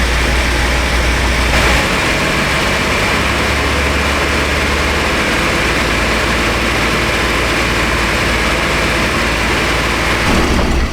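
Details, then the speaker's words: 1996 Chevy Astro van after replacing leaking spider injector that caused rich misfire: idling in closed loop, steady smooth low rumble, no skipping, bucking or stumbles; codes cleared, running cleanly. "I think she turned out pretty mint. No more skipping and bucking and carrying on."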